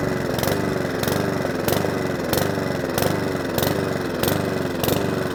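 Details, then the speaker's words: Mountfield 414 lawnmower after fuel drained from the bottom and leak check (possibly tipped up): engine speed swells and sags about every two-thirds of a second, never steady; hunting and surging from fuel starvation. "if you do all that hard work and it's still hunts and surges because they do and it happens to me too"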